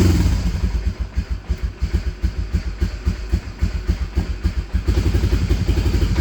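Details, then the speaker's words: Honda Fortrax 300 ATV, previously a no-start, choke off, during idle adjustment: even, steady putter at idle, about three to four beats a second, no misses or knocks; healthy. "Alright, now that we have that taken care of, that thing's running sweet."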